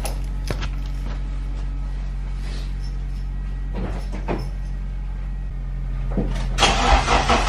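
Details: Car, after about two weeks parked in below-freezing snow: fires and settles into a steady, even hum with no misses; normal cold start.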